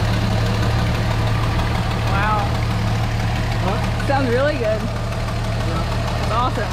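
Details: Barn-find 1973 Dodge Dart Swinger, 225 slant six, first start in 29 years after freeing a locked engine, new battery, cleaned plugs, gas down the intake: even, steady low rumble with no knocks or stumbles; running smoothly and healthy.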